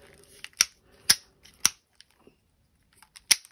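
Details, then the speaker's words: Drag on a KastKing Valiant Eagle 2 BFS baitcasting reel, heard while unboxing, comes off as sharp, dry, separate clicks with quiet between as line pulls off. It sounds quite precise, and the drag clicker is normal. "let's take the drag off and see what the drag sounds like yeah quite precise not particularly low"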